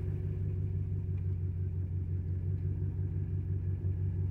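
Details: 2012 Dodge Ram 5.7 HEMI, about 39,000 miles, misfire codes (P0301–P0307): deep, uneven idle rumble in Drive with a lumpy pulse about three per second; the engine shakes. Dead-cylinder misfire from a worn cam lobe and lifter.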